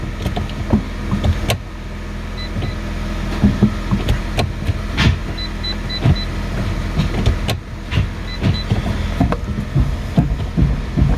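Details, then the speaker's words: Salvage 2019 facelift Fiat 500 with 21,500 miles, engine running with uneven clunks and clatter as a driveshaft that popped out spins loose. "Actually, when I've started it, the drive shaft has popped out as well. That's what the noise is."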